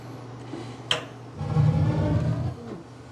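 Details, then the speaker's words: Gas burner running off a small temporary tank, pilot now properly installed, thermostat turned up from ignition setting: sharp click, then soft low whoosh as main burner catches and settles into even roar; normal main burner ignition. "on there's the main burner so that's what goes on inside there huh yeah just a big fire great"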